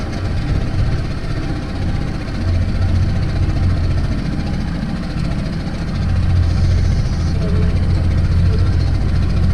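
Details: Mercury 50hp pontoon boat outboard that had idled rough and stalled, now after the fix holding a steady low idle around 900 rpm without surging or dying.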